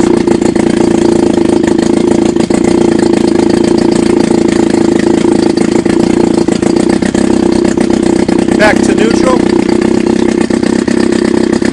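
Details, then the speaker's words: Chrysler Sailor 180 7.5 hp outboard, warmed up, about 55 degrees, low-pitch 10.5-inch sailboat prop, running in a test tank in neutral: steady, buzzy idle at an even beat with no stumbling or rattles; healthy. "I'm sure we're in neutral which we're not let's start it right at this right in neutral that's the idle speed foreign"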